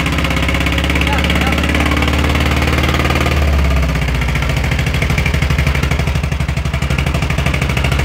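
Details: VW Beetle (Fusca) air-cooled flat-four long stored; idles roughly with an uneven, rhythmic ticking and chuffing over the low drone; abnormal engine noise, cause unclear.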